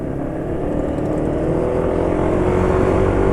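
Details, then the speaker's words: Yamaha NMAX (pre-facelift) scooter running Shell Advance Power 15W50 after draining Fastron Platinum: engine was smoother but grows coarser and gritty when ridden gently at low load, running harsher over time. Oil suspected, not confirmed. "ini suara sudah lebih halus tapi ya karena penulis pakainya geber-geber coba ini dipakai pelan sekarang makin lama makin kasar"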